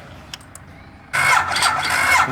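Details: Ducati 1098 abandoned motorcycle: the starter spins hard with sputters but never catches; a weak, non-matching battery and old fuel are suspected; no-start.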